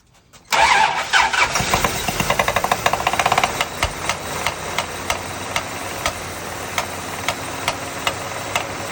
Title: 1977 Dodge Ramcharger 360 LOUD noise! What do you think it is? Please comment.